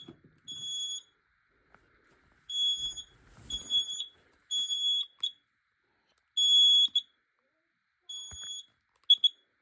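Loud shrill high-pitched beeps in repeated bursts, some doubled, clear over a quiet room; the smoke alarm sounds properly on test.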